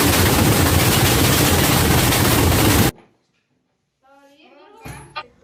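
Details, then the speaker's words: LG FHB1207Z2M fully automatic front-load washing machine spinning with transit/shipping bolts still fitted: loud relentless banging rattle about three hits a second, then cuts out — violent vibration; fix is removing the bolts and capping the holes. "ನೋಡಿದ್ರಲ್ಲ, ಅದಕ್ಕೋಸ್ಕರ ಈ shifting ಬೋಲ್ಟ್ನ remove ಮಾಡ್ತೇವೆ. Remove ಮಾಡಲಿದ್ರೆ ಯಾವ ರೀತಿ vibrate ಆಗುತ್ತೆ ಅಂತ ನೋಡಿದ್ರಲ್ಲ."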